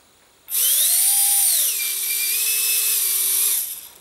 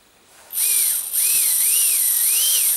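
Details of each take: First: Micro ducted fan (EDF) on a servo tester after balancing with tape on the hub: spins up to a clean high whine, eases down and holds a steady pitch with no wobble; the earlier raspy, rattling startup tone is gone and the rotor runs balanced. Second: Micro ducted fan (EDF) on a servo tester, after a drilled balancing hole made it heavier: high, thin whine swelling and dipping with throttle with a buzzy roughness; vibration is back, rotor out of balance.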